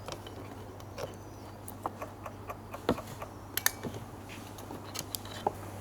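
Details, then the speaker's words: 2002 Aprilia SL1000 Falco V-twin, about 3,500 miles, sitting 21 years, won't start; booster connected, bike drawing current while fully off. Quick, uneven sharp clicks over a low hum: dash relay chattering with ignition off, cause unknown. "As soon as I put that on there, the dash started clicking like crazy. Again, the thing is not even on at the moment. Completely off."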